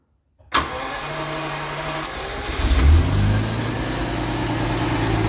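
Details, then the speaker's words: 1989 Jaguar XJS 5.3 V12 after repairing the intake air temperature sensor wiring, removing the coolant temp sensor jumper and replacing the crank and flywheel sensors: quick catch, one brief rev, smooth even idle; no-start fixed. "Yes, that's much better. Let's see if it revs. Seems good."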